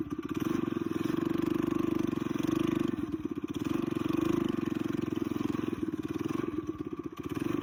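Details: Coleman BT200X mini bike rebuild with torque converter, aftermarket exhaust, 24mm carb replacing stock and billet flywheel, on a test run: crisp, rapid single-cylinder popping with small throttle swells; pulls cleanly, faster than stock.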